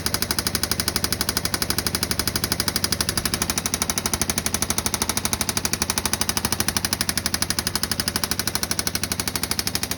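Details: 2016 Yamaha Viking EPS side-by-side engine with loud, sharp, evenly spaced knocks about three per second; rhythmic engine knock, cause unknown.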